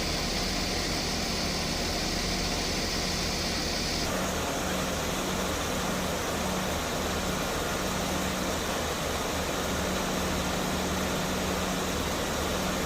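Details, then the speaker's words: Mercedes-Benz S280 at idle after A/C repair: leaking refrigerant line replaced, compressor oil added, new drier; previously not cooling with noisy compressor. Steady fan rush, no compressor knock or grinding; normal A/C operation, vents reach about 4°C. "ม.คมีเสียงการทำงานปกติทุกอย่างนะครับ"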